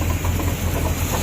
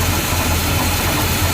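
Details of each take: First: 1982 GMC Jimmy 4WD, 350 V8 of unknown history, timing set, earlier miss: deep, uneven idle loping a few times a second over a steady rumble from a fairly big cam; otherwise running fine. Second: 1982 GMC Jimmy 4WD, 350 V8 with a fairly big cam: turning the carb idle mixture screw clockwise leans it out and the steady low idle sags and settles lower; too far runs too lean, then back out half to one turn.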